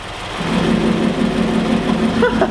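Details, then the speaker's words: Subaru BRZ (Karma) with center-exit exhaust at idle: the sound suddenly grows louder and raspier with a droning, spaceship-like tone as the vacuum-controlled exhaust valve opens; normal open straight-through sound, working as intended. "instantly just sounds like a spaceship"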